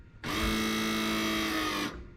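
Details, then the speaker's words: Custom AWD Mazda RX-7 using an R32 ATTESA hydraulic pump, switched on: steady electric whir with an even buzzing tone for about 1.5 s, then stops; pressurized to 200-some psi, normal operation. "so it's it's pressurized I think we just got all-wheel-drive really tight that's got two hundred and some-odd psi in it"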